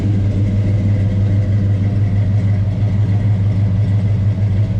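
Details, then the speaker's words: Chevelle with unrebuilt 402 big-block, on dyno for tune: deep loping idle with steady rhythmic chop about three beats a second; healthy engine with lumpy performance cam. "You can hear my cam. You can hear it better now, huh? Way better, dude."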